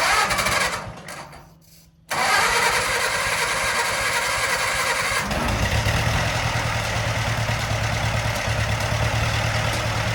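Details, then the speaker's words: Case vac tractor after engine swap, sat for a while, started on ether with fuel system not hooked up: cranks, catches, then runs steady and even with no knocking; 10 psi oil pressure cranking; normal running. "this is just off brandy but i'd say it runs pretty good we had 10 psi all pressure cranking that's that's a success sounds good too"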